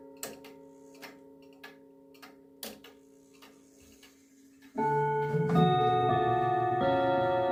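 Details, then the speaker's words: 1940s Manufrance box clock (1945–46) with a Girod movement, long pendulum and Saint Etienne rod chimes. Steady ticking about four a second, then a ringing chime melody with some rods flat and the strike off pitch: flat chime rods, out-of-tune strike. "Uh it sounds a little flat and the strike is a little out of tune."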